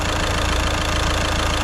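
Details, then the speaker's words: Caddy at 81,370 miles just restarted after a week of work: smooth, even idle with steady low hum, no knocks, ticks or misses, a slightly squealy belt at startup; very quiet, no leaks. "so quiet, so quiet. I'm well chuffed with that, well happy."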